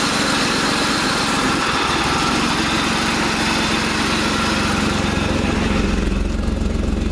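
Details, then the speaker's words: BMW E46 with swapped-in 3.0 engine idling with an uneven lope and irregular exhaust stumble: cylinder misfire; coil moved from cylinder 3 to 2 to test, and a changed misfire sound suggests a faulty coil pack (suspected, not confirmed). "It sounds like a different misfire, so I feel like it is the coil pack."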